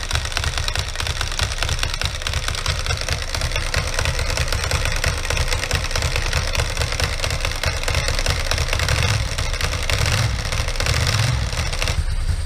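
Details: 2003 Ducati ST2, 944cc water-cooled 2-valve V-twin, knocked over and left outside: a fast, dry, steady clatter over a lumpy idle from the clutch side. Clutch noise; owner suspects the clutch pack, its bearing, cush drives or the case main bearing.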